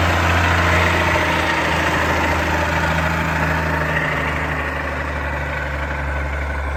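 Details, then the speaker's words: Allis Chalmers 190XT diesel tractor idling with an even thrum and a faint constant whine over it. Owner suspects the alternator; not confirmed. "And then that annoying sound you guys keep hearing, I'm pretty sure is the alternator,"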